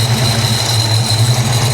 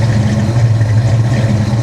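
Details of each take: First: 1994 SN95 supercharged Mustang GT, 347 stroker, previously submerged in salt water: a steady high-pitched hiss over an even V8 idle that stops when the throttle body is covered. Vacuum leak from a broken throttle body needing replacement. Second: 1994 SN95 Mustang GT supercharged 347 stroker, flood car, cold start, oil pressure 80, fuel pressure 32–34: deep steady idle rumble without misses or surging; healthy idle, though broken throttle body suspected of vacuum leak.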